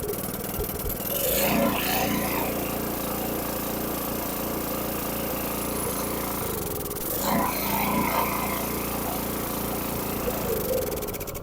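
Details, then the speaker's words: Briggs & Stratton 6.5HP single on a water transfer pump, after a carburetor clean for a gas leak and gas in the oil: it chugs unevenly and runs only on choke, traced to a damaged bottom main jet, later replaced. "see so I'm run that bottom that jet on the bottom it only runs on choke so I'm go and shut the gas off"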